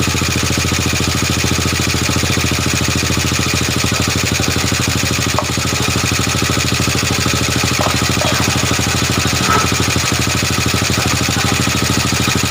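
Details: Old Honda Supra motorbike single-cylinder engine idling steadily and evenly with no knocks, misses or rattles, after checking a suspected valve compression leak and oil flow; sounds healthy.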